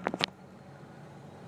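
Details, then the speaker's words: Van with 4-wheel drive and overdrive, just started and idling: after a couple of sharp clicks, a low, steady, even hum with no knocks or ticks; quiet, healthy normal idle. "you can hear that good I mean it's quiet really"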